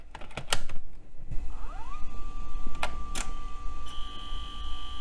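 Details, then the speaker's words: Iomega Zip drive on parallel port of retro laptop, zip disk inserted: clicks and clunks as disk seats, then steady high whine as drive spins up; normal healthy Zip drive load. "I Love the Way ZIP drives sound"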